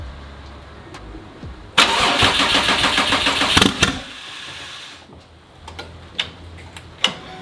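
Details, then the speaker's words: Subaru STI with fender-exit exhaust, first start after rebuild with turbo charge pipe off, running essentially naturally aspirated: quick crank catches into a loud, raspy, uneven burble for about two seconds, then settles. "now i can start the car it's not going to be the happiest because obviously it's missing a charge pipe to the turbo so it's pretty much going to be naturally aspirated for this"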